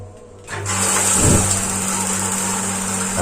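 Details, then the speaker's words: Gas water heater that would not light after changing to a new LPG cylinder; the burner comes up with a soft, steady roar over a low hum and no sputter, kept lit about 10 seconds so the flame sensor does not lock out; normal burner running. "ini sudah bisa menyala tapi harus dipastikan dinyalakan sekitar 10 detik ya teman-teman"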